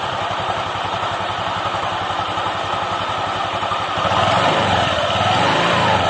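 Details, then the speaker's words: Honda Vario 150 LED (K56) scooter CVT, before repair: coarse knocking of about four beats a second that roughens on throttle, rough and heavy on initial pull-off. It happens despite a recent CVT service; worn pulley bearing (6902) and rollers suspected. "Dan di sini terjadi kasar pada saat tarik tarikan gas awal itu terjadi sangat kasar bunyi kelotok-kelotok dan terasa sangat berat."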